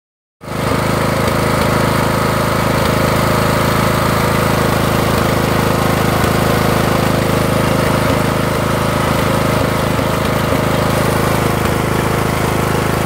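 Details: Briggs 18.5 mower engine runs rough and smokes; loud uneven, loping beat with irregular stumbles, cause not yet known: rough running.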